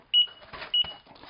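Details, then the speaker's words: KingSong 16X electric unicycle just reconnected after motor firmware update 1.01 to 1.05: three short high beeps about half a second apart with faint clicks, no motor running; owner assumes it wants horizontal calibration, cause unclear. "right we are reconnected and it's beeping at us I assume because it needs to horizontal calibration"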